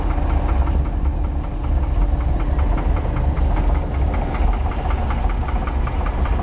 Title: 1990 Sea Ray Sundancer 454 engine knock